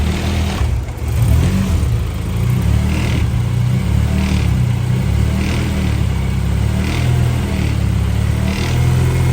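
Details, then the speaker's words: 2001 Honda Civic, 300,000 miles, swapped from automatic to manual with a K24A engine, on its first start after the swap: steady, even low drone with a smooth idle and no knocks or ticks; runs fine, though an O2 sensor issue shows. "Somebody's over here. She's running though."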